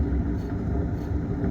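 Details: 2004 Toyota Corolla worn wheel bearing: low, steady growling, grinding, howling rumble from the hub, fixed by replacing the bearing.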